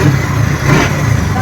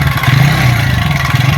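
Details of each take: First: TVS Ntorq 125 BS6 scooter after repair of an engine sound problem: low, even engine hum with a steady beat and no ticking or rattling; normal idle. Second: TVS Ntorq 125 BS6 scooter at only 2614 km, before repair: loud metallic clatter over the idle beat, steady at idle; a mechanic said the noise is inside the engine, and the timing chain tensioner is to be checked.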